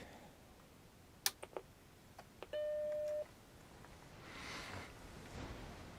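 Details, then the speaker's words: Macintosh Classic with a recapped logic board and recapped analog board, started up booting from ROM (Option-Command-X-O). A few soft clicks, then one clean, steady beep of about two-thirds of a second: a normal startup chime with no odd noises. "It's not making any funky noises or anything. It's going good."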